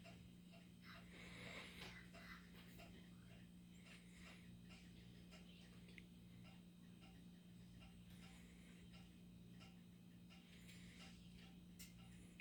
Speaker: so that ticking noise that you can hear is because the stove's warming up